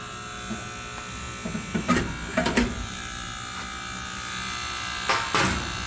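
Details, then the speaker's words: Furnace with the air conditioner on, giving a steady electrical buzz with irregular clicking bursts; traced with a listening stick to the White Rodgers 8A05A-101 transformer/fan relay, which is replaced with an identical unit. "hello everyone well we have a furnace that's making a noise and it's the air conditioners turned on but it's it's a clicking noise and you shouldn't hear that"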